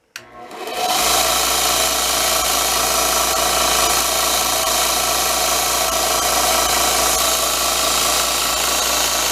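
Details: New Grizzly H7761 belt/disc sander, first switch-on unloaded after assembly. It spins up in under a second to a loud, even roar with steady belt hiss and no knocking or flapping; running smoothly.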